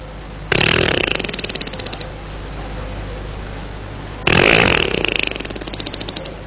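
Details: Motorcycle that died after a short ride being repeatedly starter cranked; two bursts of fast chugging fade without catching, cranks but won't start; rider suspects engine jammed, fuel later ran out.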